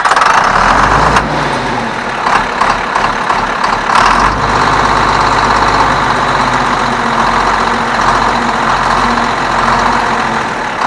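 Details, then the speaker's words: 1977 John Deere 4630 Quad Range, 150 hp diesel, owner suspects high-compression pistons, starts easily even cold: catches quickly and settles into a steady, even idle with no knocks or misses; normal idle. "This tractor starts amazing. Even cold, starts right up, which again tells me probably has high compression pistons in it. So I love that. It is smooth as glass."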